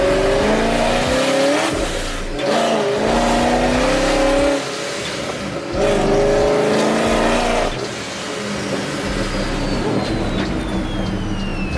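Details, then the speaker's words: Procharged Pontiac G8 after piston replacement done in a driveway, driving in manual mode under acceleration: strong, clean pull, revs climbing steadily and dropping crisply at each shift, no misfire or knock; feels like more compression than before; normal acceleration. "I'll put on manual mode just so y'all can hear this thing. Sounds a beast."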